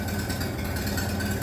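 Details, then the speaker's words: Minneapolis Moline BF tractor after in-frame engine rebuild, idling without muffler, owner thinks not yet warmed up: loud open-exhaust idle with a steady low chuffing beat, no misses or knocks; normal idle. "So that's what she sounds like without the exhaust and idle, without the muffler, I mean. I don't think it's just warmed up yet."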